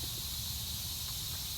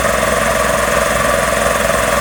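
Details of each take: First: Magna Force air compressor under repair, motor off after building pressure: faint steady high hiss as pressure slowly bleeds off through an open fitting. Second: Magna Force air compressor after repairs, building pressure toward 160 psi cut-off: loud even pumping drone at steady rate with no knocks or surging; runs normally, though a pipe, probably bent, leaks air.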